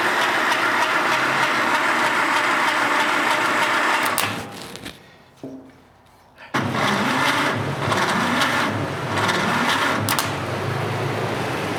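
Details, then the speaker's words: 1947 Willys CJ-2A, not run in 30 years, cranking during a compression test after oil soaking: labored, sluggish starter at roughly three compression beats a second; slow cranking because it is fed from a 12 V battery through 8-gauge jumper cables. "it'd probably go higher but the engine's not cranking very fast because I'm trying to do it off a 12vt battery off of 8 gauge jumper cables"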